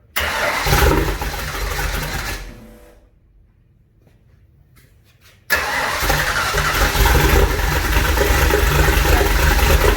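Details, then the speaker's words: Junkyard 351W turbo engine in a 1967 Mustang with home-rebuilt heads, first fire-up: starter cranks with a strained, uneven drone, cuts out, then catches again; starter engagement is a little tight. "starter engagements a little tight"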